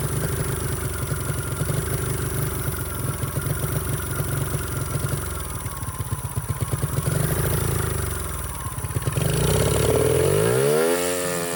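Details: 49cc mini bike that sat since bought at auction: after a carburetor rebuild it holds a fast, uneven buzz with the throttle off, then climbs higher. It won't return to idle even with the throttle screw fully out. Owner suspects excess air intake.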